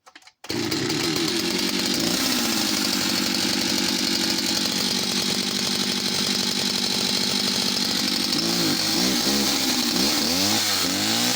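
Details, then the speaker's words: West German Stihl 041AV project chainsaw, two-stroke: high buzzy fast idle that wavers and sags, loading up and bogging as if over-fuelled after a few throttle blips; owner suspects clutch, main jet not seating, or inlet manifold leak. "so she will start up might be a fast idol and then if you throttle it a couple of times the the idling will get heavier and bogged down as if she's over fueled all of a sudden"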